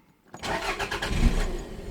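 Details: 1992 Toyota MR2 parked at least 6 months, previously ignition faults, usually started then stalled after running; starter spins engine with rhythmic cranking pulses that never catch, fuel pump runs briefly then stops, not priming; crank no start.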